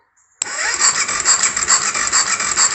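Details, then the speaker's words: 2004 BMW F650 GS single-cylinder engine after rebuild and reinstall, no oil in it, first crank test: starter spins in even pulses with light whirr, no knocks or bangs; normal cranking. "sounds good sounds good all right difficult to do this with one hand the cranking sounds good no funny knocks and bangs"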